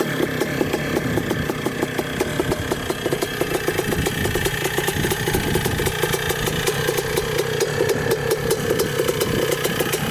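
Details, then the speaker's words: 1979 (possibly 1980) Suzuki RM125 two-stroke dirt bike, barn find unused for about 15 years, roughly 155 psi compression; crisp, rapid even popping idle after warm-up on first ride, clutch working, still clearing out; normal idle, fuel leak noticed afterwards. "so far the clutch works so that's good it's running pretty good just has to clear out a bit it's a good sign that it's still idling"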